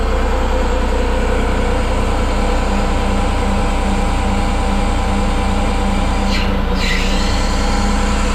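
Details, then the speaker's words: 2005 CAT 950G wheel loader, 11,329.8 hours, idling; even diesel idle with constant non-stop droning hum, hydraulic valve seems to be releasing pressure and letting flow through, cause unconfirmed: continuous hydraulic noise at idle. "so that noise is non-stop. It is something with the hydraulic valve that it seems like it's releasing pressure and letting it flow through, but this is the only machine we have that's doing it, so we're gonna look into it."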